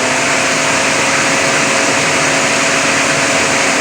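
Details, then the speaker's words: Cooling fan actuated through a scan-tool active test: smooth, steady airy whoosh with a faint constant hum, no rubbing or ticking; radiator fan operating normally. "so that's for the cooling fans so that all that area works"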